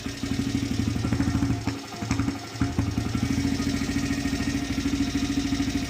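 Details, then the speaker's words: 2006 Honda CRF100F after tightening the timing gear bolts, choke on, first start after months sitting: single cylinder catches, briefly dips, settles into steady even idle with no ticking; clicking noise fixed. "But yeah, guys, no more clicking noises. Perfect. Look at that."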